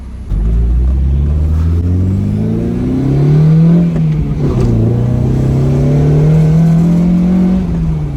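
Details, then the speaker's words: Acura RSX with K24 engine swap, manual, first drive after the build: strong, smooth exhaust note climbing cleanly through the revs, easing, then pulling again without misses or knocks; healthy engine. "Gotta admit, man, it sounds good. It does sound good."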